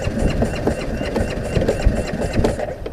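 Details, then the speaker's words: Motorcycle that ingested water, turned over on the starter: uneven chugging with irregular pulses and a wet sputter, water coming out the exhaust; engine spins and is not hydrolocked. "No, doesn't sound good, did it? Did you hear that? It's alright. But it's turning over, it's not hydraulicing."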